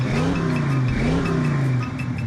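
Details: Ford Foxbody Mustang mass air V8 after a new regulator and with the BAP sensor unplugged from vacuum, revving cleanly through quick throttle blips without stumble or hesitation; a whistle remains; normal revving.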